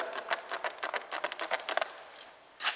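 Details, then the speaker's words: Renault Duster driver's door inner handle trim after a noise fix (trim removed and treated): fingers pressing the handle give only short dry taps, no creak, unlike the noisy untreated door. "наша водительская дверь и что мы делаем мы нажимаем пальцами и звука такого нет абсолютно тихая ручка"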